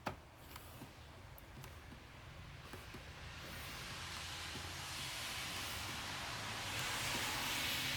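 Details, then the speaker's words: GM 1.4L turbo (LUV/LUJ/A14NET) cooling system on Chevy Cruze/Sonic, after pressure test; soft hiss growing louder as the cap is slowly opened to relieve pressure with tester hose removed; normal coolant pressure release. "take the hose off and relieve the pressure by slowly opening the cap"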